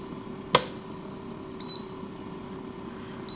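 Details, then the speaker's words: Cheap budget air fryer after 18 minutes cooking chips: sharp click then short high beeps a couple of seconds apart over a low fan hum as it keeps restarting by itself with no timer, stoppable only at the socket. "right so I've got two choices now I can either let that do whatever it's not even got a timer on it now it's just running I can either just let it run forever or just turn it off down here at the socket"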